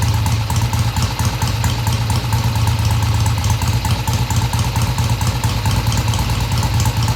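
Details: 1971 Triumph T120 650cc twin after carb tweaks of about an eighth turn: even, steady idle beat, picks up cleanly off idle through mid-range with no stumble or hesitation.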